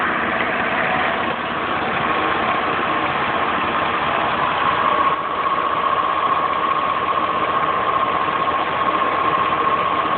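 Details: Steady whistling tone near 1 kHz over an even idle, unchanging; accessory whine, possibly a bad water pump bearing, suspected not confirmed.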